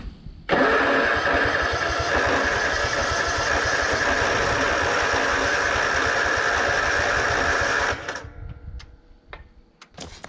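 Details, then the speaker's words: Kawasaki-engined Exmark Yazoo Kees ZT Max zero-turn mower on jumper battery: steady seven-second cranking with even chug, never starts; owner suspects a stuck backfire solenoid blocking fuel to the carburetor. "oh okay well I'm pretty confident of the issue now I think it's the backfire solenoid I'm not letting fuel into the carburetor"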